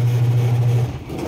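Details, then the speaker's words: Manual washing machine spin test after a gearbox replacement for a cracking noise while spinning: steady, smooth low motor hum winding down, no cracking or grinding; quiet and running normally again. "anan okay ang tahimik hindi okay lang testing na natin to"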